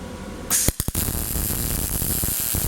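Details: Harbor Freight Vulcan Omnipro 220 MIG welder on 120 volts, auto mode set for 1/8 inch, welding tubing: steady crackling sizzle with a few short starts, then an even frying hiss; smooth arc laying a good bead.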